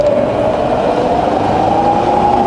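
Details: Fully rebuilt Bridgeport variable-speed milling machine head: smooth steady whir, single tone rising with speed from 500 to 2,600 rpm, equally quiet forward and reverse, no knocks or grinding.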